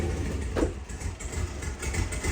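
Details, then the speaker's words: 700HP junkyard turbo truck freshly started with new exhaust, no tune yet; idles unevenly with a stumbling, lumpy beat, running really bad; misfire, owner suspects injector, planning new injector set. "okay she needs a tune but she's sounds so back dude okay well it's it's running really it's running really really bad but uh you got you get the point"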